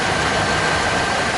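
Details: 1966 Chrysler Imperial V8, original and mechanically sound, idling with camera under the hood: even, steady rumble, constant pitch, very little vibration, no misses or knocks; healthy idle.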